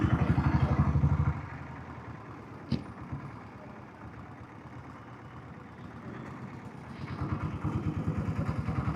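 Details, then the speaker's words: Diesel Bullet single after oil service: even thump about four beats a second, fading and returning, with no tak-tak tapping from the inner sprocket that had been present for a year; normal running. "அப்போத்துல இருந்து அந்த sound வந்துட்டே இருந்தது. இப்பதான் சரியாயிருக்கு ஒரு வருஷம் கழிச்சுதான்."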